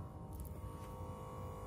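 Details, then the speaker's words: Omron Bronze upper-arm blood pressure monitor inflating the cuff: quiet steady electric hum with faint pump whine while reading pressure and pulse, about a minute; normal operation. "that's what it sounds like a humming noise when it is reading your pressure and it takes about a minute or so for it to raise your pressure and your pulse"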